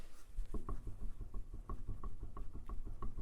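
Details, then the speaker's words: 1975 Triumph TR6, front wheel rocked by hand on shop inspection: soft, irregular knocks about six a second from up-and-down play, none side to side; suspected wheel bearing, ball joint or trunnion, not confirmed. "we've got a little bit of play none side to side but up and up and down we have a little bit of play so that could be a wheel bearing though we don't really feel it this way so it could be like a ball joint or a trunnion"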